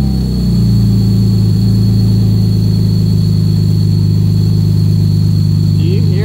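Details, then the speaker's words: VVT engine with an oil catch can fitted with a top breather: a thin, steady high whistle over an even idle. The owner is unsure whether air is sucked in or blown out and suspects the breather defeats the PCV vacuum. "how loud that whistle sounded I can't tell whether it's sucking air in or or blowing air out"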